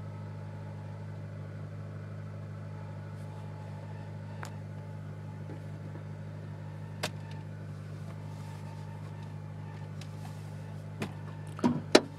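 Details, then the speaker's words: 2007 Honda Civic Si, just over 67,000 miles, parked idling with e-brake on, clutch pedal released: loose rattling from under the hood (owner unsure where) that stops when the clutch is pressed and continues when revved; heard best cold. "this is just a terrible noise every time i press the clutch down a little bit it'll stop"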